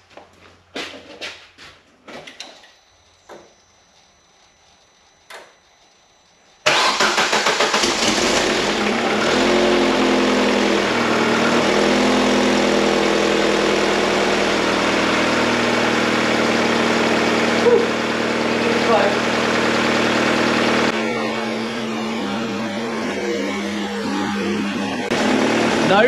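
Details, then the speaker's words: Opel Zafira GSI Z20LET turbo engine, first start after a reground crankshaft was fitted: fires with a few light clicks and settles to idle, and the bottom-end knock is gone; a big exhaust leak at the V-band clamp putters away. "and we're alive it's a little bit unhappy and it's got a real big exhaust leak from that v-band hear that puttering away so we'll see what that is but we're getting a bit smoky in here might have to open the door but the bottom end knocking has gone finally we've solved that problem that was the crank"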